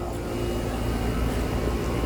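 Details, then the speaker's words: Outdoor AC condenser running after repairing supply wires suspected chewed by animals: a steady, even fan and compressor hum with a low drone and no rattles. The coil may be dirty; otherwise running normally. "so let's go see what it sounds like yes sir she's running shoes putting some firing hot air"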